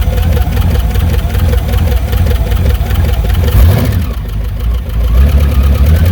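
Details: 1982 MSE Trans Am with swapped Pontiac V8, fired up after storage and washing: loud, rough V8 idle with uneven low thumping; owner suspects valve train knock, may pop valve covers.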